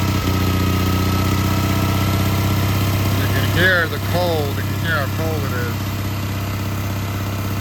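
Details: Old Onan generator warming up on choke after a cold start at about 10–14°F, with a new carburetor and fuel pump; a low, steady drone with an even, slightly lumpy beat; smooth, no misses.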